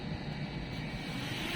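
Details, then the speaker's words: DJI Mini 2 drone, first flight after repair of a crash-damaged gimbal (crash caused by RC disconnect after firmware upgrade): even steady hum from small motors, no rattles, scraping or wobble; flying normally. "So ito mga guys, mga amigo, ito na, paandarin natin ngayon. So ngayon na ulit natin paandarin, papalili pa rin ito."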